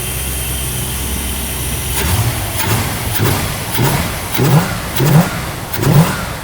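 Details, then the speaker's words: Never-sold 1974 Cuda, about 62 original miles, original Thermoquad carburetor, throttle linkage needs lube; repeated blips about once a second give a deep V8 rumble that rises and settles cleanly with no vibration, so it sounds healthy. "And look at it. No vibration, no nothing. This is a miracle of humanity."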